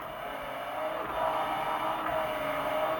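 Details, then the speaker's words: Graco sprayer pump after transducer replacement for a motor-not-working error code, pressure set low, no hose fitted, status light blue: steady motor hum with an even pumping drone, stroking normally. "motor is stroking now we're going to put a hose on it to make sure that our pressures are reading what they should be reading"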